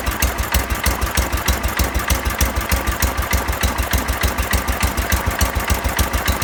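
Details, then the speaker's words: 1970 John Deere 140 lawn tractor, just restarted after a fuel-flow no-start fixed by pressurizing the tank: small engine thumping steadily at low idle, about three and a half beats a second, roughly 250–500 rpm, even and clean; normal. "Idling it like, I don't know, 250 RPM, 500 RPM, something like that."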